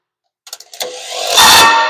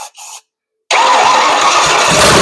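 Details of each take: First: Ford 460 V8 sitting about 30–40 years, starter jumped directly: a few sharp solenoid clicks then a labored whining churn that never gains speed; starter sounds too weak to turn the engine. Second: Ford 460 V8 after decades sitting, carburetor suspect, vacuum lines off, no exhaust fitted; brief cranking, then it catches with a loud, raspy roar running unevenly through open ports, smoky. Engine starts and runs.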